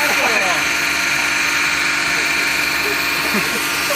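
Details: BMW N52 69k-mile junkyard engine after holding revs near 3,000 rpm to bleed the lifters on first start: smooth, even idle with a steady hiss and no top-end ticking; lifter tick resolved, normal idle.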